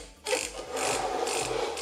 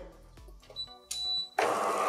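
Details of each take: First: DeLonghi Cappuccino espresso machine after repair, heater up to temperature, old hoses in place. Low buzzing pump with pulses of hissing water; water is flowing, so the pump primes and delivers steadily as it should. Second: DeLonghi Cappuccino espresso machine, first power-on after repair. A harsh, buzzy motor grind runs for about two seconds, rough and uneven; the brew unit drive is running badly and needs cleaning and lubrication.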